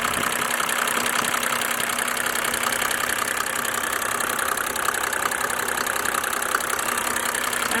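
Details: 1987 Mercedes-Benz 300D Turbo diesel (603 engine) idling during Liqui Moly diesel purge; loud clatter with coarse uneven knock, described as very sick; rough running, cause not confirmed.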